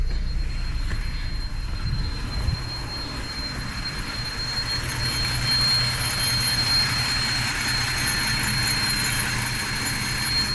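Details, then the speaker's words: 2004 Chevrolet Trailblazer 4.2 six-cylinder idling with an uneven, stumbling low rumble, a rough misfire; scanner shows no misfire counts or codes except an intake code from a disconnected filter cover. Connectors apparently and possibly a coil already replaced. "Muy fallón, la verdad."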